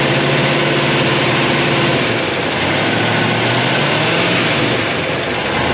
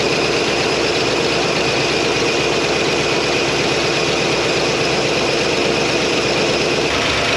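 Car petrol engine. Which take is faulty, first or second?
first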